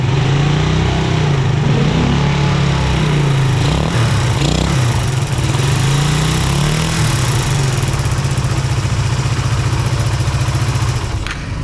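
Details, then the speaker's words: Suzuki Satria FU motorcycle idling roughly with a light steady ticking clatter over the low exhaust beat, like valve noise; valves use shims rather than screw adjustment; clutch cover also seeping. "Jadi ada suara agak kasar sih. Jadi suaranya seperti klep bunyi."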